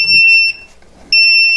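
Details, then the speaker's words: Upair One 2K quadcopter transmitter with a weak battery: long, high, steady beeps about half a second each with pauses between, over a quiet room, the low-battery warning. "but the transmitter is beeping it's letting you know that the battery is low and you need to change it"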